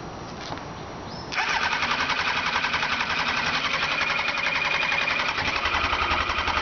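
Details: 2002 Kawasaki Ninja ZX-9R: starter spins steadily at a fast even churn for several seconds, but the engine never catches or picks up speed; cranks without firing, a no-start.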